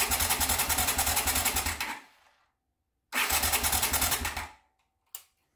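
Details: 1979 Honda CX500 Custom twin, unrun two years, carbs needing rebuild, tank temporarily fitted: two steady cranking bursts at about three and a half beats a second, never catching. Crank no start.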